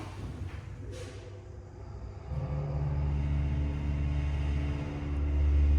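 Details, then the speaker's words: Dry-powered Mitsubishi elevator motor in downtown Sunnyvale: a low steady drone builds as the car starts, with a faint rumble pulsing about four times a second; something sounds like it's vibrating in the ceiling, cause unclear, but it still runs quite well. "Actually, something sounds like it's vibrating in the ceiling, but these still run quite well."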